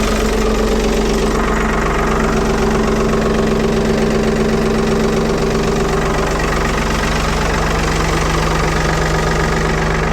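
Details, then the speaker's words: 1975 Ford 550 backhoe "Big Mo" cold-started after repair, out of gear in neutral, fires up like a banshee and idles with a regular low chug, no surging or stumbling; normal idle. "watch one thing this thing fires up like a banshee"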